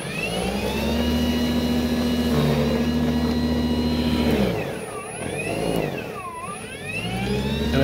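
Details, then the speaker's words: Ryobi battery snow blower, fully charged, cold dry winter day: steady motor whine drops sharply and bogs repeatedly on light snow; static discharge felt in the handle upsets the motor, fixed with added ring-connector grounding. "it does this thing where it seems to slow down when it hits any amount of snow at all"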